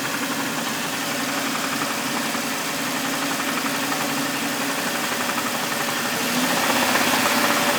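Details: 2000 Jeep Cherokee XJ: steady ticking knock about four per second over idle, tied to engine speed, recently started coming from the motor; source undetermined.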